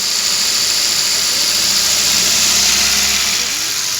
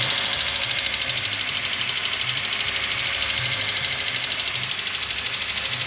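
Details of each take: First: Car engine after hydraulic tappet noise repair: even, hissy idle with no top-end ticking or tappet clatter; smooth after the fix. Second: Car engine held at about 1500 rpm: rapid, even ticking, roughly three per second, over a steady engine hum. It is a noisy hydraulic tappet that needs replacing.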